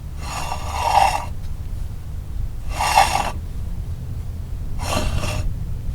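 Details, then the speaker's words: 1998 Chevy K1500 truck on the road, noise when braking: harsh rasping grind in bursts about every two seconds, rising and fading with the wheel; front disc brake grinding, pitted rotor, cause not yet confirmed. "customer States there's a noise when she steps on the BR bre"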